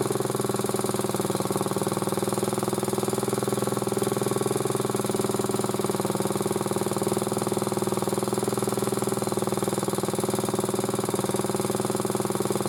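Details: Motor-cultivator that knocked and stalled in autumn after hard use, started poorly; idling after cleaning with sandpaper; light regular tick about four a second over engine beat; owner suspects a valve tapping, source unconfirmed, before valve check.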